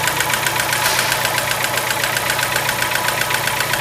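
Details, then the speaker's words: Car engine cold and warming up, oil pressure gauge near 3 bar: quick, even metallic ticking about four a second over idle, characteristic hydraulic lifter tap; oil pressure to be rechecked once warm. "o tecc característico de tucho batendo então começa o diagnóstico por aí"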